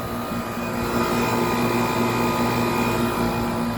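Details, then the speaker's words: 1995 Tempstar central AC, Copeland reciprocating compressor running with the condenser fan in its 29th season. It's running nice and cold, and indoor vents read 58–64°F in dry air at about 20% humidity. Even hum and steady fan whoosh, no rattles or squeals. Normal running. "Copeland reip Roar run right along the fan motor nice and cold now it's very dry out here only about 20% humidity so it's not going to be sweating"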